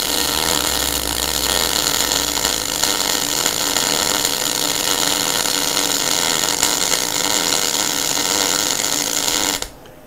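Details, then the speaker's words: MIG welder after turning the voltage up a fraction at the same wire speed: an even, steady crackle like bacon frying, with no spitting or popping, giving better heat penetration. A properly set MIG weld arc. "you hear how that sounds guys you hear it sounds it sort of sounds like a something frying on the stove can you hear that see that's not too bad now"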